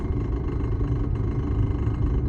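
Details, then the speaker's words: Audi B8.5 S4/S5 with PWW transmission, driving around 30 mph: low steady rumble and drone with a faint rough undertone, noise sometimes disappearing then returning; worn, outdated driveshaft (prop shaft), replaced with the newer part number. "This is a symptom of a bad drive shaft and needs to be replaced."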